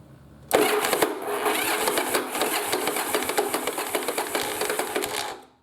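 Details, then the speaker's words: Yamaha Virago parts-bike rebuild with the ignition coil wires swapped backwards: a steady starter churn for about five seconds that never catches, because the spark fires at the wrong time. Fix is to swap the coils back. "see so it almost sounds like it wants to hit but it's not hitting and that's simply because the spark is not sparking at the right time"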